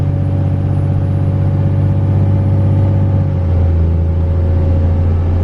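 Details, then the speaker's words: 24-valve Cummins diesel with HX35 turbo, driving: thin high-pitched whine over the deep diesel drone, only at certain rpm, speed and throttle; loose turbo oil drain bolt caused an oil drain leak and poor oiling; owner suspects turbo damage. "I still hear it guys it's still there [Music] it's definitely still there I can still hear that slight whining noise in the turbo"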